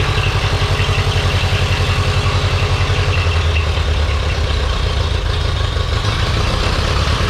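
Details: Ferguson TEA 2085 tractor after replacing the condenser to cure weak spark: steady, even low chug at a smooth idle with no misses, knocks or stumbles; engine running healthy.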